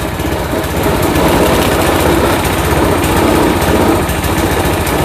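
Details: Old Craftsman walk-behind trimmer with Briggs & Stratton Quantum engine, after carburetor cleaning and drive cable replacement, drive engaged, throttle working: steady, even single-cylinder buzz with no surging, misfire or stumbling; normal running under drive.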